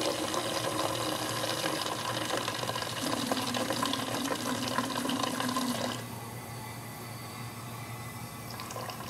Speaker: so let's just quickly take a look at what a properly functioning overflow looks like when the valve is too restricted and two wide open